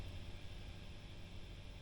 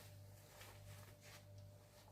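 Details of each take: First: Marshall JCM800 2210 split-channel reverb 100 W head idling after the noise fix: only faint low hum and soft hiss, no crackle or buzz. The amp is now quiet. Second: Marshall JCM800 2210 100 W head idling, all controls at zero, through a 1x12 cab: steady low hum with faint higher whine. Suspected cause is tired filter caps dated week 48 of 1986, which were then replaced.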